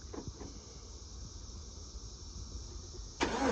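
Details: 2014-2018 GM truck (Chevy Colorado/Silverado, GMC Canyon/Sierra) remote-started with a newly self-programmed key fob. Near silence, then the starter cranks and the engine catches right away; clean, normal start.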